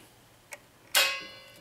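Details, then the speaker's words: 1964 Impala two-speed Powerglide transmission rebuild, governor tested on the bench dry (sticks when lubed with trans fluid): faint tick then crisp metallic click with short ring as the shaft turns; governor valve drops freely. "you turn to shaft that supposed to draw up which it does and then it drops down you can hear it you come back around and dress back down so it's working good there"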